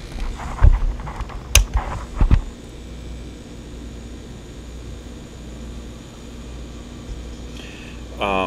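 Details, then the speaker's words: Hard drive with a worn main bearing that made the platters unbalanced and rumbling, warmed and positioned so the platters hang with no bearing pressure; a few handling knocks, then a quiet, even spin; recognized by computer, not vibrating yet. "once you get it working you can see that it's being recognized on the computer there a d Dome once you get it working once the information is available and as you can hear it doesn't vibrate yet"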